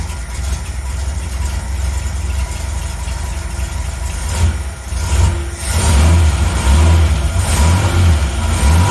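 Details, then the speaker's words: 1980 Reliant Scimitar GTE SE6A that previously cranked but wouldn't start after standing over a month, fired on its own after 10 minutes' rest: deep steady idle with brief rev rises settling smoothly, "she sounds lovely"; normal idle. "Yeah, she sounds lovely."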